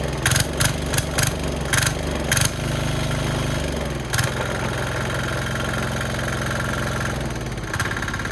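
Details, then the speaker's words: Brand-new, very cheap, tiny Chinese diesel engine bought on Amazon, test-run on plywood. It starts once the throttle knob is set just off the stop. A few uneven thumps as it catches, then a steady, low, even chugging idle. It is a healthy runner. "Well, she's a runner, as we can see."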